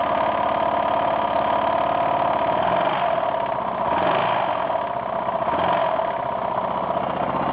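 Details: 1992 Yamaha XT600E (3TB) single-cylinder idling with an uneven light tapping through the beat; owner reports a strange knocking or ticking engine noise, source unknown.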